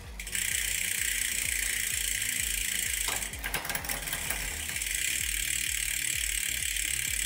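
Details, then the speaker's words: Bicycle rear derailleur after adjusting the high and low limit screws, pedalled with a steady chain whir and light even ticking. There is no grating or rubbing, so the shifting runs cleanly. "arrivati a questo punto dove siamo andati a regolare inizio corsa e fine corsa e sentiamo che il cambio non grata più"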